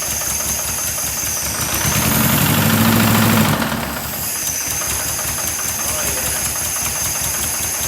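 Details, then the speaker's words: 1976 Porsche 914 VW Type 4 2.0 air-cooled flat-four on test stand: steady rapid knock about three and a half per second over idle, same knock heard when running in the car; cause not confirmed. "i didn't notice that knock yesterday but that that is the knock that was knocking when we had it running in the car so it's interesting"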